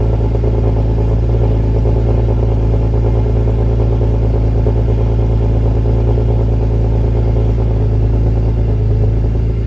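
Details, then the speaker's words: BMW E46 M3 at idle after fitting Yonaka rasp pipes to a slotted flange with OEM donut gaskets, Megan headers and X-pipe: deep steady idle, even low rumble, no ticking or puffing from the joints. No exhaust leaks, running good. "There are no leaks, and it's running good. Sounds good."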